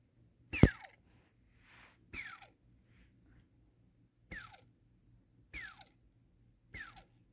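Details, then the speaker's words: Eachine/Diatone ER349 race quad, unused: hand spins of the rear-right motor give a rough, crunchy, crackling falling whir dying within half a second, unlike the other three smooth motors; bad motor bearing. "you can actually hear the bearing inside takes up three year old mm-hmm cranky crunchy noise as opposed to what this should sound like"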